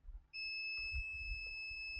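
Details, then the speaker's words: HP ProBook 645 G1 laptop with no power: multimeter gives steady continuity beep between main 19 V rail and ground, zero ohms; supply voltage drops to 1.9 V drawing 3.2 A, rail shorted to ground. "multimeter zero zero so the May 19 horsepower rail is shorted to ground"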